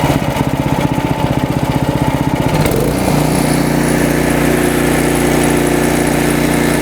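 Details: Snowblower engine: fast, pulsing note suddenly jumps to a steadier, higher speed, hunting rather than holding an even idle; engine surging.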